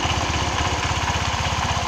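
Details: Honda Vario 125 scooter idling after a loose bolt inside the cover was tightened, which had made it stop suddenly with a rough noise: steady, even thudding idle of about fourteen pulses a second with no knocks or rattles; it idles healthily.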